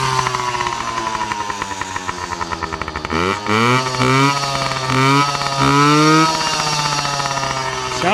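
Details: Yamaha PW50 two-stroke with freshly cleaned carburetor, deliberately run dry of fuel: steady buzz, then revs sag and surge unevenly before dying; fuel starvation bog and stall, same as the original fault.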